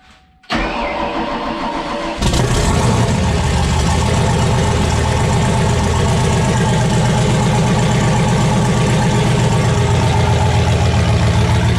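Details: Ford Mustang with a 408/410 stroker engine and T56 manual, fired on a borrowed 351 E85 tune during water pump troubles: short crank, then catches and settles into a loud, steady, lumpy idle with no knocks or misses; runs fine.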